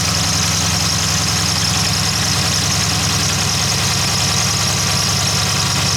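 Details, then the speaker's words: Dodge Challenger/Charger 392 Hemi, water pump failed at 60k miles: steady idle with a constant high-pitched squeal over it from the failing water pump bearing, before the pump is replaced. "i mean you can hear that it's not supposed to sound like that"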